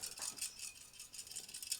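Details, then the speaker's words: BenQ W1070 projector lamp that stopped working, shaken next to the microphone: light tinkling glassy rattles from broken glass and loose filament inside the exploded bulb. "I don't know if you can hear if I rattle this next to my microphone. That's all broken glass inside here."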